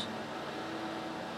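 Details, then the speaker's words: Sharp XV-Z2000 DLP projector, about 2003–2006, after cleaning and new lamp replacing an exploded one: soft even fan whoosh and faint steady color wheel tone, not noisy, nothing rattling; running normally. "color wheel started and see the light down there coming on color wheel sounds good too it's not too noisy we got some light coming out too even better"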